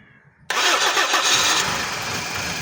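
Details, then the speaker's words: Toyota Corolla with gas kit, morning hard-start problem, after reconnecting sensor connectors including cam sensor: cranks briefly, fires first try, settles into steady idle with no stumble; starts normally. "ये ठीक है पहले self प जो है ना गाड़ी start हुई है थोड़ा एक्सलरेट भी करें गाड़ी को"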